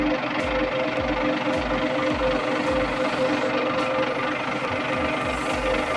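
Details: Volvo TWD121 stationary 6-cylinder turbodiesel after fixing a loud knock by replacing one intake valve and a gasket set: steady diesel clatter at an even pace with no heavy knock; normal running after repair.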